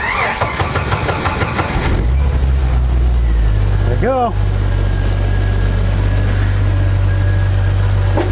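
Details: Jeep 4.0L after fixing a leaking fuel injector and reinstalling the fuel rail: the starter cranks briefly, then the engine catches cleanly and settles into a steady, even idle with no misses. No leaks were seen; a healthy start.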